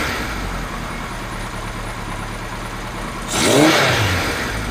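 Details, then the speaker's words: Kawasaki Z1 four-cylinder, rebuilt with new rings, workshop run-up with air filters off, after carb slide gap setting: even idle, quick blip falls back cleanly to steady idle; engine loosening up, revs rising at the same idle screw setting. "I've noticed the engine seems to be loosening up a little bit we haven't been on anywhere yet but it does seem to be loosening up with those new rings the revs are coming up a bit higher at the same position on the idle screw"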